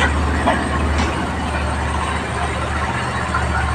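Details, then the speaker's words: Rusi motorcycle just after tune-up and oil change: smooth, even idle hum with no knocking or ticking; engine running quiet and well tuned. "Yan po, tahimik po ang pagkaka-tune up. Ang ganda po ng pagkaka-tune up po. Tahimik na tahimik. Tahimik na tahimik po ang pagkaka-tune up."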